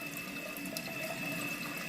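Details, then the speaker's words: Toilet tank refilling after Fluidmaster fill valve and flapper replacement: steady hiss of water running that doesn't shut off at the fill line even after lowering the float; water draining away through a leaking flapper keeps the valve running. "okay I had to twist oh but it keeps going where's the water draining to is it the flapper it's the flapper y'all"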